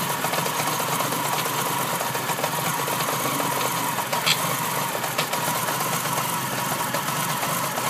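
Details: RS2 petrol engine after new timing kit, water pump, iridium plugs, ignition leads, lightened damper pulley and engine mounts; barely 200 km later, idling with a fast, uneven ticking clatter over hiss, appeared twice after short runs under 6500 rpm; source unknown.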